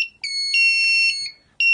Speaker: So the motors are now running, and if we turn it off, the motors stop and you can hear an SOS sound coming from the buzzer on the aircraft.